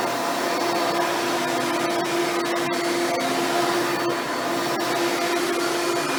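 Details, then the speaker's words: Hoover Spectrum (Elite-style upright vacuum) run after installing a new belt: constant, even mid-pitch motor whine, no slapping or squeal; belt running normally. "testing out the new belt after installing it just to show you that everything works right and then you're gonna have no issues"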